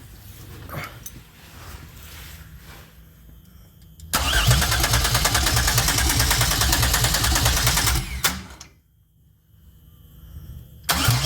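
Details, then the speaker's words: 2004 Pontiac Grand Am 3800 supercharged V6 5-speed swap, first start with fuel pump jumper: steady cranking about four seconds with weak tries to catch; only 20 psi fuel pressure, old gas smell; cranks but won't start. "Dang, I was really hoping that was going to be it. I heard it try to start, though."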